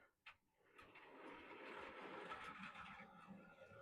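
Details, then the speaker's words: Model railway running session testing track: uneven rattling clatter with irregular knocks about three a second from a derailed coach, its leading axle not re-railed properly. "There she goes. That sounds like something has derailed. And suggest it's probably a coach."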